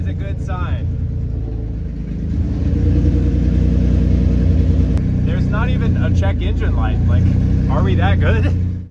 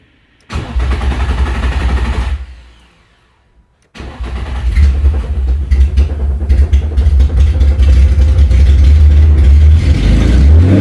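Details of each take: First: Nissan 350Z after engine and transmission reinstall, following fixes including a connected ground strap: engine catches, settles into an even, steady idle, revs up and down cleanly with no misses or knocks; good oil pressure, healthy. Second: Nissan 350Z after sitting over two years, first start after engine and transmission install: no fuel pump heard; two-second crank that never catches, pause, then cranks, fires and runs unevenly revving; cause suspected, not confirmed.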